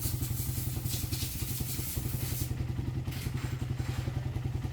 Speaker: Hindi na helicopter, boss, ah. Yung timing kayo, boss, okay na. Hindi naman nakita, boss, eh. Tahimik na.